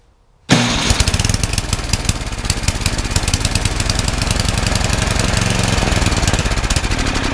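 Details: Craftsman 31AE5HTG799 28-inch snowblower, 9 hp Tecumseh Snow King engine, sat unused for years; after new carburetor installed, catches at once and settles into a fast, even single-cylinder beat with no misses; runs properly.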